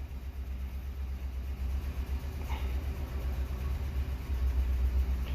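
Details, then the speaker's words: 2004 Ford Crown Victoria Police Interceptor idling rough after codes cleared: deep rumble with an uneven stumbling pulse, about four lopes a second; scanner shows cylinder 8 misfire. "All right, cylinder 8 misfire. I was waiting on that."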